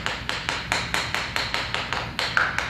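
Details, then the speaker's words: Floor tile tapped a couple of weeks after Fix A Floor was injected beneath it to cure a hollow sound; crisp, sharp taps about four a second dying quickly with no drummy ring, tile now solidly bonded, no hollow spot. "there's no Hollow spot in this in this tile so as skeptical as I was about this stuff um I feel like it's it's worked pretty well"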